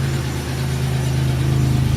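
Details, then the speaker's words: Cold idle with a faint rapid ticking knock on a 2002 Chevy Malibu 3100 SFI V6, which had intermittent shutdowns traced to oil in the crank sensor plug. Owner attributes the knock to loose cylinders and says it rattles until warm; cause unconfirmed. "yeah it sounds a little noisy it's those are worst of our problems and of course it's a it's one of those 3100s and you're going to hear the knocking because uh you might understand they're loose cylinders so uh you get that you get that wrap until it warms up"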